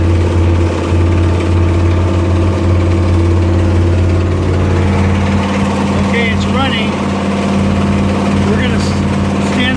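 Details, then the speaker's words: 1969 Corvette 427 V8, 4-speed, Brodix aluminum heads, first start and break-in, held near 2000 rpm: raspy puffing hiss drowning exhaust note; driver-side manifold leak, apparently a bolt head kept it from seating, melted three plug wires, not all cylinders firing. "it sounds to be like we do have a little bit an exhaust leak sounds to me like it's over here on the driver's side"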